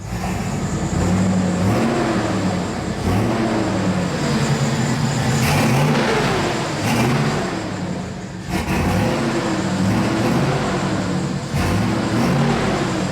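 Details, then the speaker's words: 1999 Chevrolet Silverado Z71 5.3L V8 with new longtube headers, exhaust only half done and no muffler: a deep, loud rumble climbs sharply with each throttle blip and drops back cleanly. It revs strong and even and sounds healthy, though what sounded like a leak was heard. "guys today's been a massive success actually more of a success than i thought we were gonna get that sounded incredible old hot rod tone smell feeling rumble"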